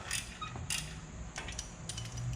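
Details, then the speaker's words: 4WD first-generation GMC S15 Jimmy/Chevy S10 front brake job with squeaky brakes: short metal-on-metal scraping squeaks as the caliper is pushed by hand. Dry caliper slide pin that should slide freely. "can hear by the metal on metal squeak so the idea i'm sure you already know but the brake caliper is supposed to be able to slide on this thing and center itself"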